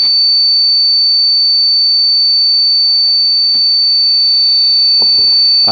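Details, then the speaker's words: 2011 Rickenbacker 360/12 C63 12-string guitar through amp, turned up loud: constant piercing squeal on several steady pitches, continuing whether played or not, cut only by noise gate; feedback squeal, cause unclear. "loud and turn this mic off so the mic doesn't feedback you're going to hear how bad this thing squeals all the time whether I'm playing or not"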